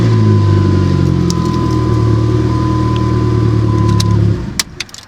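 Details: 2004 Dodge Neon SRT4 after ignition switch repair, started with clutch pressed to test before reassembling column covers: smooth, steady, even drone for four seconds before switch-off; it starts and nothing abnormal is heard.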